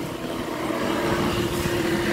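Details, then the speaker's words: 12 V electric knapsack sprayer after swapping a weak 7-volt battery for a new one: even, steady electric hum at one pitch, no stutter or labouring; indicator lights on, pump running normally. "Lampu indikator menyala , dan suara pompa normal."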